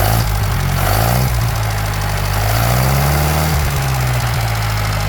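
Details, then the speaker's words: Newly rebuilt Atomic 4 sailboat engine with Walter's 2:1 reduction gear and Paragon reversing gear, test run in neutral: smooth, even note climbing cleanly with throttle and settling back, no knocks or misses; revs up easily and sounds healthy. "up real easy, and also on my muffler stack here, let you see that, it's"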